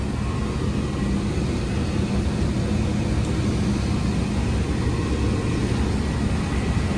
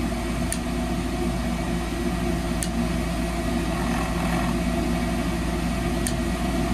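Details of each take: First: 2004 Rheem split-system furnace on a no-heat call: a steady low rumble of burner and fan airflow with no rattles, squeals or cycling; running normally. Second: 2004 Rheem furnace: steady inducer blower hum with faint ticks, no burner whoosh ever follows; control board never opens the gas valve. Inducer runs, no ignition (failed control board).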